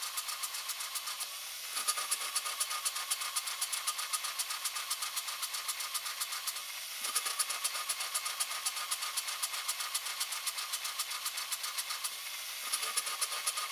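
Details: 2004 Cadillac Escalade ESV 6.0L LQ9 at idle: steady tapping about four times a second with a recurring stumble; misfire on cylinder 2 (right side) only at idle, intake valve leak suspected, heads to be removed and valvetrain upgraded.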